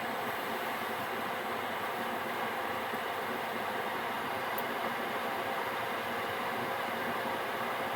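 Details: Gearlasso 8kW 12V/24V Chinese diesel heater switched off via app after manual-mode run, CLP residual-oil burn-off cool-down: smooth steady airy fan rush, no combustion roar or pump clicking, before returning to standby; normal cool-down fan run.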